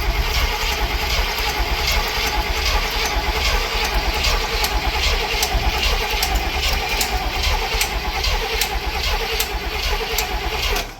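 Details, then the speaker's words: Barn-find Cadillac 7-liter V8 unrun for 30+ years, smoky attempts: steady cranking with sharp regular clicks about once a second; clicking while cranking, cause not found, spark check and corroded coil wire next. "is that clicking? I don't know. Let's check for a spark real quick."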